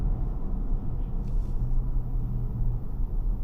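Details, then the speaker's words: 2024 Mazda CX-60 Takumi, 3.3L turbo inline-six, stopped at a traffic light: a deep, even, low rumble at idle with no misses, knocks or ticks. Healthy, but the driver says it sounds gruff like a truck. "listen listen to the engine though wait swear to you this thing sounds like a truck in fact my son said that the first time we got in"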